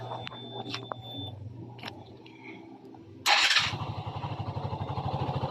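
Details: Rusi RFI 175 motorcycle that suddenly would not start: a few quiet clicks, then engine catches at once and settles into an even steady putter with regular exhaust pulses, running properly.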